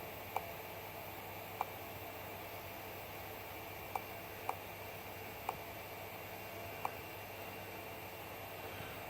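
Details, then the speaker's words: Celestron CGE Pro mount slewing west in right ascension at speed 5; sharp little clicks one to two seconds apart over a quiet drive whir. Something in the RA axis is catching. "it's down to speed five now we're moving west at speed but you can hear it making those same little clicks"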